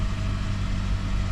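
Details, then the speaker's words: 2012 Toyota Corolla S, previously misfiring with code P0301 on cylinder 1, after replacing all four ignition coils and spark plugs: smooth, steady low hum with all four cylinders firing evenly at idle, no skips; runs perfectly fine. "That was perfectly fine."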